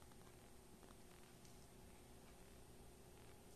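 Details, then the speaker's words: Lincoln Tombstone 225 AC buzz box stick welder on a 30-amp dryer plug, switched on before repair: only a very faint low transformer hum, with the fan at about quarter speed. A huge transformer hum is expected, so the weak hum shows a fault. "I can kind of hear a fan spinning but it seems like it's spinning it a quarter speed if that and there's just a very very very light hum really not what it should be"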